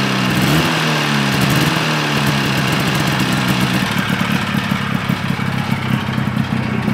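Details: 1974 Johnson 440 two-stroke snowmobile, first start from salvage: it catches and runs steady and buzzy with no misfire or knock, and a friction smell is noted; normal running.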